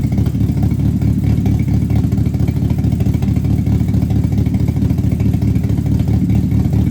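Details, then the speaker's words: Rebuilt GM 2.2 Ecotec race car engine with Comp Cams cam, idling in the shop: lumpy, choppy idle with deep steady rumble from the big cam, even without stumbling; sounds healthy. "Let's see if this thing will fire up. Make sure he ain't got it in gear. Yeah, we're good. Listen to that cam and that bad boy."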